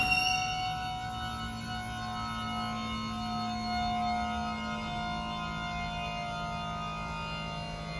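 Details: Vestner Ascensa 340 platform lift, recorded under the platform: sustained high squeal over a steady hum throughout travel; loud squeak, cause unclear.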